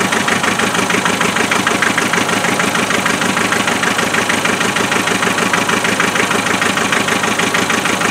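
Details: Naturally aspirated 2.5 diesel at cold idle just after a glow-plug start: steady clatter with a regular uneven beat, about three per second. The problem is always number three cylinder, even with injectors swapped. Cylinder misfire at cold idle.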